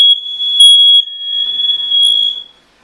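A loud, piercing high-pitched alarm tone holds steady for about two and a half seconds, then cuts off: smoke detector going off.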